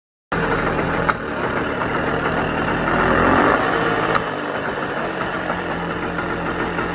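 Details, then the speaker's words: JAWA 250 353 two-stroke motorcycle that arrived non-running, started before an engine overhaul: idles unevenly with a wavering, stumbling popping beat, running badly; 2nd and 3rd gears are noisy, and the engine is being disassembled. "Bohužiaľ Motor nemá dobrý chod, takže začíname ho rozoberať a uvidíme, čo nájdeme."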